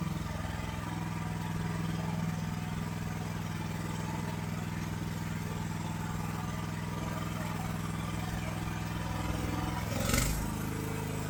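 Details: AGT LH12R mini excavator with RATO engine, idling with a steady, fairly fast hum and no dips while the governor is turned counterclockwise after an under-hood interference fix; factory idle too high, causing jerky tracking.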